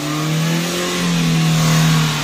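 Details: 2010 Kia Rio manual that sat for over two months, finally running after troubleshooting: an even engine note swells and settles as the throttle is worked, with no misses or knocks and little smoke. Normal revving.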